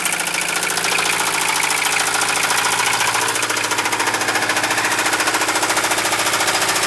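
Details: 1973 Mercedes 220D diesel at idle: heavy, steady knock close to three beats a second over the clatter; deep bottom-end rod knock suspected, not confirmed.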